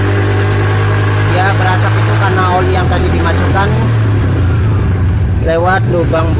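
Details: Suzuki Spin 125 automatic scooter that kept dying suddenly on the road, running after the fix: steady low engine drone holding even through the revs, no misfire or stumbling; runs normally now.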